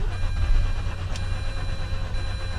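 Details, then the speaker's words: Mazda RX-8, long unstarted with plugs probably fouled: cranking with the throttle held to the floor, which cuts all fuel, gives a steady starter whir and even pulses with no attempt to catch while the flooding is cleared. "holding the gas down all the way to the floor cuts off all fuel just when you're starting"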